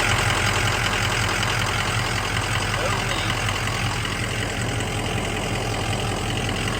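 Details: 2003 Ford Excursion 6.0 Powerstroke diesel after fuel filter/water separator housing repair, dent removed and housing now sealing with no leaks: steady diesel clatter at an even idle, no stumbles; normal idle.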